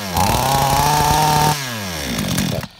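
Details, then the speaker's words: Flooded chainsaw after drying and refitting a dry spark plug: engine catches and holds a steady high buzz about 1.5 seconds then revs sag; starts; carburetor found out of adjustment, needle possibly not holding. "Якщо вона вже не схвати і тоді, так, о, завелася, дивіться, тепер що треба, готуєте, поки не схвати, поставите потім."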